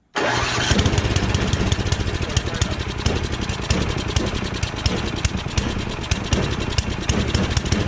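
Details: Snowblower after full rebuild, restarted with transmission set to medium: engine catches at once and settles into a steady, even chugging run with no misses or knocks; running properly.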